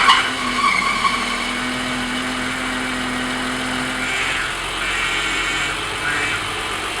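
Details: 1986 BMW E30 325e, engine running after a power steering flush with ATF, wheel held at full lock: steady moaning tone over a hiss, then fading. The pump is still noisy and seems to need replacing or its bearings lubricated.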